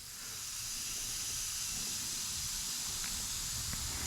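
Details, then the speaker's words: Mercedes-Benz SL500 (R230) ABC suspension purge after installing a rebuilt tandem pump, air line connected at about 10 psi: steady high hiss of escaping air; small leak probably at the fitting, not confirmed. "We've actually got a little bit of an air leak somewhere, probably coming out of here."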